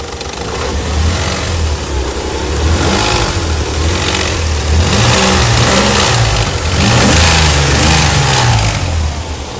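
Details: Nissan 300ZX idling and revving, otherwise smooth with no smoke: uneven popping and crackling from exhaust plus strong exhaust smell; owner unsure if exhaust leak or bad cats.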